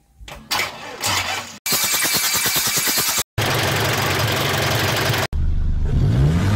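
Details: Isuzu Panther 2500cc diesel after timing gear refit and resetting, coolant refilled: cranks briefly, catches cleanly, revs hard then settles to steady clatter without misses or knocking; healthy.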